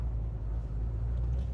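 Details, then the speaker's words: Engine with a Chopper Reid camshaft and CNC heads, correctly tuned, pulling away up a slight incline with no throttle; deep loping rumble, steady drive-off; normal lumpy-cam sound. "So, no throttle at all with that one. Um, so yeah, guys, that's a a drive in a chopper read that's tuned correctly."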